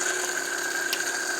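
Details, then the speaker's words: Small brushless water pump from an underground bunker dig, failing from pumping unfiltered dirty water, run up: steady high-pitched whine with a rough, gritty edge, then cuts off. Abnormal, unhealthy running. "there's not a healthy sound, is it?"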